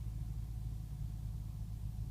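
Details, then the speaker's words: 2005 BMW 645Ci (E63) started after sitting overnight, on a warm afternoon: a low, uneven rough idle that shakes the camera, less severe than in cooler weather. It was smoke-tested with no leaks found, and misfiring with a flashing check-engine light followed. "the camera is even shaking from it running a little rough it's not quite as bad as when it's colder outside"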